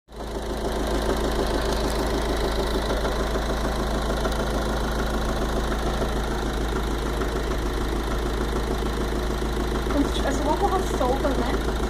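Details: Fiat 500 Dualogic at idle: a loose, fairly regular knock about three per second rides over a steady idle. A mechanic suggested a rod bearing (bronzina) and the water pump, but neither is confirmed.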